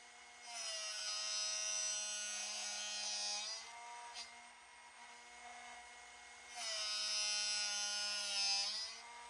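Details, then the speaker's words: Drill bit sharpener set to a 135-degree point angle (marked positions for 118 and 135), bit rotated by hand without pushing down: high, even grinding whine in steady bursts with quieter motor hum between, normal grinding until finished. "Back of the machine, turn the power on, and you're just gonna simply just rotate it, okay? And just keep rotating. And you'll hear it when it, the grinding is finished on the drill bit itself."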